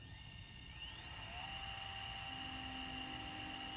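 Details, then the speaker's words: JVC GR-DVM90 MiniDV camcorder bought untested and not cleaned, on fast forward: quiet, smooth whir rising to a steady hum, no clicking; the transport sounds as it did when new. "Yeah, and that transport sounds like it did when it was new. At least on the one I had, it sounds exactly the same."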